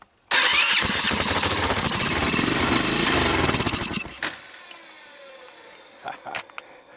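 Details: Honda ATV that had stopped starting, with gas shot into the carburetor: catches, runs rough and uneven for about four seconds, then dies; it won't run on its own fuel, and the carburetor needs cleaning. Cause not confirmed.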